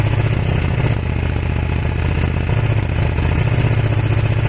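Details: Kawasaki ER500 twin with white smoke at idle: lumpy, uneven beat with the odd dropped pulse and low chuffing stumble, a cylinder misfiring; owner suspects a broken head gasket, unconfirmed.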